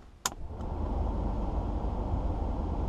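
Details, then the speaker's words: 1984 Mercedes 300SD (W126) heater blower motor after resoldering control joints, car not running: a click then a steady, even rush of air on high setting; blower running on high, low setting very faint. "so i get on a high obviously right you can hear it"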